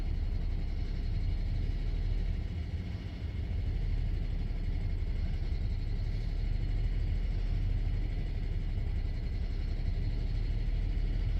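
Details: 2008 BMW E90, N53 petrol engine, 150,687 km, warm or cold alike: after revving above 1500 rpm it cannot hold a stable 700 rpm and idles roughly between 500 and 900 rpm, a low, uneven rumble that sags and recovers.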